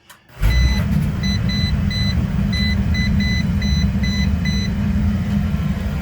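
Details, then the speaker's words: Home boiler/furnace burner lighting while a voltage tester chirps on its hot supply line: steady low roar comes up and runs evenly; normal burner firing. "And you can hear that the boiler just turned on."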